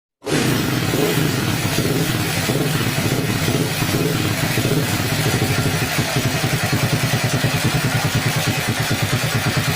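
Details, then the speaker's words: Yamaha Scorpio Z single-cylinder engine idling with a harsh, rapid valve-train clatter over its beat, described as very rough; cam chain, valve clearance, camshaft and rocker arms to be checked. Excessive valve clearance. "jadi suaranya seperti itu teman-teman Kasar banget ya langsung saja kita cek dulu di bagian rantai ketang kemudian setelan klepnya noken as sepatu klepnya kita cek ya teman-teman"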